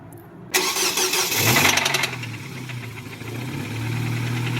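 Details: 2008 Nissan Versa, high mileage, first start after fuel pump fitted (pump wasn't faulty): catches after cranking, rough idle with steady tapping about four per second, possible bottom-end rod knock; stalls in gear. Engine knock at idle.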